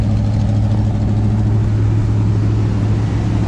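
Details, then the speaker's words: 1990 GMC truck after an engine swap: uneven, lumpy exhaust beat with irregular dropouts, engine missing a lot. Blow-by is audible in the exhaust, though it runs smoothly on the highway. "But you can hear, I mean, you can hear the exhaust notes. It's just missing a lot."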